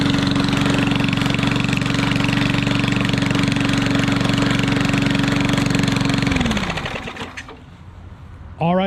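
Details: Yard Machines 22-inch push mower with Briggs & Stratton engine, after mouse nest cleaned: fast, steady, very loud popping bark at fixed speed, then winds down and stops; runs fine but the muffler is missing.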